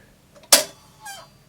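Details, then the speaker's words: 1973 Goldring Lenco GL78 turntable after modifying brake rubber and cleaning idler and spindle, switched off from 33 RPM: short sharp squeak then fainter chirp as the repaired brake stops the platter. "Yeah, the brake works now. You can hear it squeak and it stops it."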